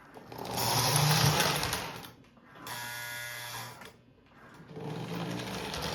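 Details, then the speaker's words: Lionel 671 model locomotive after 25 years in storage, suspected gummed with old grease: smooth electric motor whir in bursts as power is applied, no grinding or binding; runs freely. "It actually sounds pretty good. It sounds pretty good. And the good thing about it is it probably just needed to be run a little bit."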